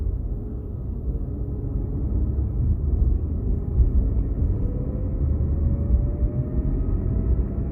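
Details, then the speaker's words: Infiniti Q60 automatic with new solid transmission mount, stopped in neutral: deep rumble with a faint whirring tone slowly rising in pitch, gone in drive; owner suspects torque converter or fluid spinning. "when i put it neutral now you hear it again the the whirling i believe you could you can hear the torque converter spinning or the fluid spinning"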